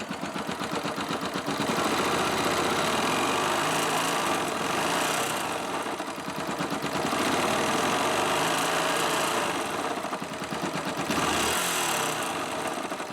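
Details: Yamaha YBR 125 single-cylinder after fitting a 150 cylinder kit and refitting cam chain: idle with quick regular metallic clicking each beat; top-end tick after rebuild, crankshaft play also noted, cause unconfirmed.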